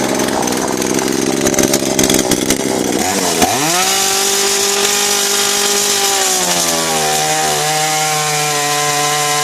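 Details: Kretec UDT two-stroke chainsaw on 25:1 fuel mix, after starting: screaming buzz drops in pitch and holds steady as the chain bites wood, cutting cleanly without bogging; healthy saw.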